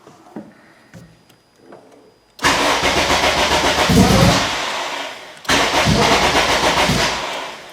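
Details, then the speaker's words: Acura RSX cranking with the fuel pump disabled by the JDI Ghost Lock app after a lean stall. Two long bursts of steady starter churning, about three turns a second, never catching: crank no start, no fuel. "Nothing. So I'm going to come in here. I'm going to enable the fuel pump again."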